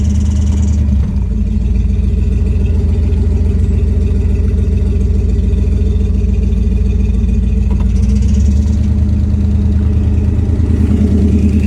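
A steady low drone with a loose, uneven throb of about two beats a second sits over the engine; cause unclear.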